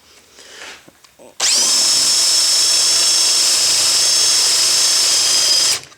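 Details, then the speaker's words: Drilling metal with the drill spun too fast and too little pressure: a high, steady scream with a thin squeal as the bit rubs instead of cutting, throwing fine chips and smoking oil as the tip overheats. "hear that squeaking if it's squeaking you're doing the wrong thing it should never squeak like that"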